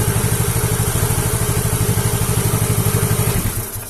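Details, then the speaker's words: Yamaha Mio J fuel-injected scooter after replacing the blown fuel pump IC, fuel pressure steady at 40: even, crisp firing that revs cleanly with no stumbling; the pump IC failure was blamed on a faulty spark plug cap. "sekarang kita gas tuh gak masalah"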